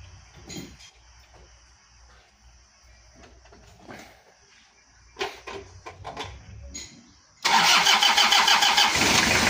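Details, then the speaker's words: Toyota Kijang diesel just restarted after a cracked engine block near the oil passage was repaired and coolant refilled; catches straight into a steady idle with light, even cold clatter, normal, attributed to condensation in the cylinders. "untuk baru Hidup E lumrah kalau ada sedikit kemelataknya soalnya karena di dalam piston itu masih ada embun"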